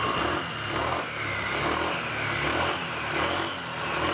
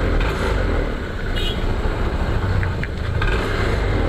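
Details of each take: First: 2021 Honda PCX 160 after CVT service, parts cleaned and shimmed with sandpaper strips, no parts replaced: short rev bursts with smooth, even drive note; the front clacking on sudden throttle is gone, transmission sounds healthy. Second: 2021 Honda PCX 160 at idle and on sudden throttle: uneven rattling clatter over a low idle thrum from the front pulley side of the CVT; loose roller housing cover rubbers, cured without replacing parts.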